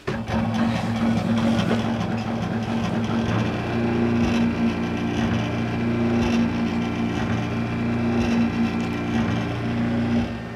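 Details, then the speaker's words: Disco scanning club light, eight mirrors on stepper motors, first power-up after repair: steady buzzing hum with low drone and faint clicking; steppers still noisy but less than before. "okay it's still making a lot of noise but not as much as it used to"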